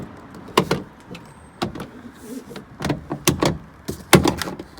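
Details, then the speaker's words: Mercedes SLK R170 door: sharp irregular creaks and clunks each time the door is swung, about a dozen in five seconds; both hinge bolts found loose and tightened. "If yours sounds like that, have a look. You might notice one of these bolts is loose."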